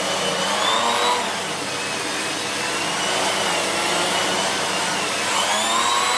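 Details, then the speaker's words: Siemens Z6.0 Power 2500W bagged cylinder vacuum with its mini turbo brush cleaning a chair. Steady airy roar with a constant hiss and no bogging; the brush spins quickly without slowing, normal operation. "very good very good little lettuce that really does spin quickly and doesn't slow down either"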